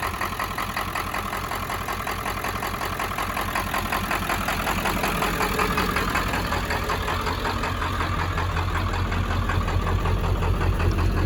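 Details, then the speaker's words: 1995 Ford F350 7.3 Powerstroke diesel running after 10 years sitting: shaky, knocky idle with a steady clatter of about three knocks per second and an uneven beat like a miss. Owner suspects injectors and possibly non-working glow plugs; it sounds healthy when revved. "Little shaky, little noisy at idle, like it's got a bit of a miss. I don't know, could be injectors."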